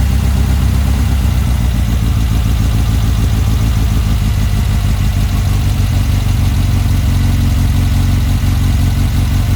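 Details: Car fitted with a Weber 44 IDF carburettor, original parts refitted: even, steady idle with clean pickups when blipped, no stumble or popping; carburettors running cleanly.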